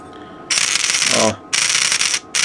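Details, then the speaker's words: Teac V-970X cassette deck with dbx, function cam motor that positions the mechanism and lifts the head sled, tested during reassembly: loud, harsh rasping bursts when running in one direction; motor faulty, possibly jamming or something came loose inside. "jak go sprawdzałem okazało się że jest uszkodzone słychać że bardzo głośno pracuje w jedną stronę"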